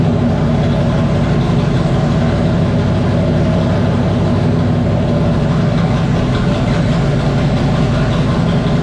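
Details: 1994 Terry Labonte Oldsmobile race car V8 after replacing bad spark plug wires and plugs: loud, deep, steady even lope with no misfire stumbles; normal idle, running strong and smooth.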